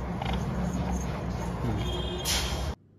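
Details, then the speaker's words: LG top-load washing machine: uneven, low clattering "khatar khatar" rattle, about four knocks a second, from a worn clutch assembly that needs replacement and careful setting. "अभी आप जो sound सुनने the यार cutter cutter किए जो sound है इस तरीके से करने लगता है"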